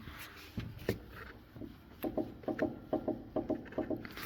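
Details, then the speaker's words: Peugeot 206, suspension rocked by hand during diagnosis: sharp hollow paired knocks from a worn left anti-roll bar link; the other link also needs replacing. "Słychać, nie? jeden łącznik lewy stabilizatora"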